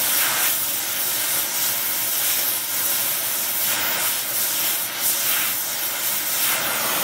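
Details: Oxy-acetylene welding, small mixer torch, Air Products Integra cylinders with integrated regulators and flashback-arrestor quick connects; trying to set 4 psi on a 380 psi gauge. Steady, smooth hiss, no popping or sputter; normal stable torch flame.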